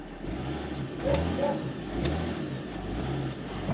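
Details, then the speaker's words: Range Rover L322 TD6 diesel, after a vacuum hose was fixed, gives a steady low drone under acceleration with turbo whistle and no knock. It sounds healthy, though the fault was later retriggered on a road test. "and now all you can hear is the turbo whistle which is well obviously a shedload of engine rattle but yeah just the turbo wh was quite Pleasant"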